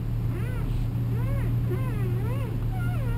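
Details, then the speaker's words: 2002 Toyota Camry, inside car turning steering wheel: wavering squeak, almost a whine, rising and falling with wheel movement, seemingly from steering column; power steering fluid (Dexron-type ATF) found below minimum; owner attributes squeak to steering wheel. "you can hear it squeaking sounds like a wine almost let's go take a look and see what that problem is"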